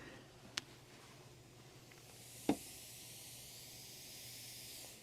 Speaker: I'm sitting here a couple feet away from the speaker and I can hear a sss. A lot of these boards have a lot of hiss.